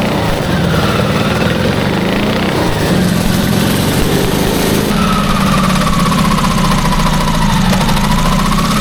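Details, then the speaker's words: Custom V8 built from eight Tillotson 212cc go-kart engines (about 100 hp, 900 lb) on a go-kart: loud, lumpy idle that surges and wavers; not running 100%, needs jetting, choke needed on two or three engines. "Um, yeah, it needs some uh jetting. It's not running 100%."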